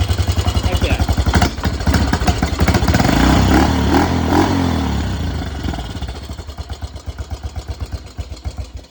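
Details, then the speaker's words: 1986 Yamaha Big Bear ATV, first run after sitting a while, fresh oil: single cylinder thumps unevenly at idle, swells with a throttle blip then sags back loping; carburetor needs adjustment, mixture problem suspected. "carburetor definitely need adjustment"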